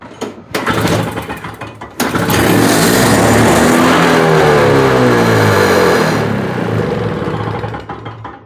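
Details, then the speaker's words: Trash-day Toro CCR3650 snowblower, 2-cycle R-Tek engine after carb clean and new fuel lines, 80:1 mix: starter whirs, then the engine pops off and screams to a high, steady rev that never settles; owner suspects a weak throttle return spring leaving it wide open. "I don't know if our return spring is actually working all that great. So I don't know if that's wide open"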